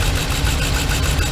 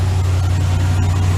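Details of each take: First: 2015 Ram 3500 with 5.7 Hemi idling with a deep, slightly uneven rumble: cylinder 5 misfire, one injector getting no power because rodents chewed its connector apart. Wiring being traced with a test light. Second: 2015 Ram 3500 5.7 Hemi at idle after repair: misfire on cylinder 5 traced to rodent-chewed injector harness connector, rewired; engine now idles steadily with an even low rumble, no stumble.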